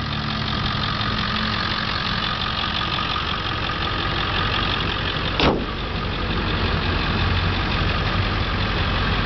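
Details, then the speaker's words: 2000 Ford Excursion XLT 4x4, 7.3L Power Stroke turbo diesel, 82,124 miles, with a lift kit, at idle: a deep, steady diesel clatter with an even rhythm and one brief bump, no knock or misfire. Normal diesel idle. "let's fire it up here sorry didn't turn it far enough side mirrors are defrosting this truck runs just like it's new"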